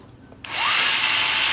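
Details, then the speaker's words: Axial Capra RC crawler dig servo running after its end point was reset. A steady, even high whir starts cleanly with no straining or buzz, and the earlier noise is gone. Normal servo operation. "this one will drive dig on it's not noisy anymore right no more noise i think this one is okay"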